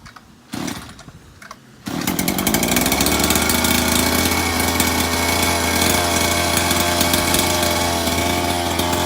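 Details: Maverick MT after clutch spring replacement, started on choke: after a short pause the engine catches and holds a loud, steady buzzing run with no misses or rattles; healthy.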